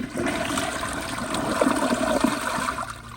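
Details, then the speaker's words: Glacier Bay PowerFlush vacuum-assisted toilet, unmodified, with the tank filled to the waterline: a normal flush where air suction drops the bowl level before rim water arrives, then a strong rushing gulp that drains fast and evenly. "here's a normal flush and i want y'all to pay attention as soon as i flush it you'll see the water level drop which is really cool"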